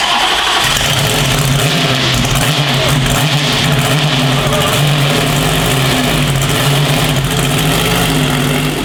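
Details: Manual-swapped C8 Corvette drift car V8 being fired up in the shop before dyno tuning, previously revved only to about 3,500 rpm, oil leaks sealed; loud, deep, steady roar held at high revs with no knocks or rattles; healthy, normal revving.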